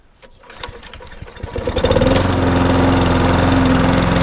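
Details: Viking mulching mower with a five-horsepower engine, taken in part-exchange and suspected of a bent crankshaft that proved not bent, catches after a few pulls and settles into a steady, even drone with a firm beat; runs normally.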